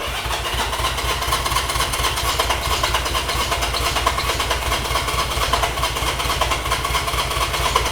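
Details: Honda CB200 with aftermarket replica carburetors, tried in choke position: steady starter churning with fast even compression beat about twice a second, never catches; no spark found; cranks but won't fire, cause suspected.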